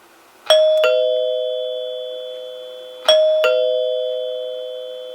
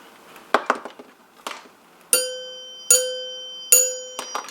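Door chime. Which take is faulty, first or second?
second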